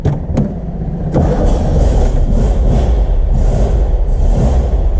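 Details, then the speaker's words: Porsche 356 Speedster, last production year, converted to 12 volts with an electric fuel pump priming the carburettors: a brief crank, then the air-cooled engine catches at once and settles into a steady, deep rumble. "Voilà, donc là démarrage parfait."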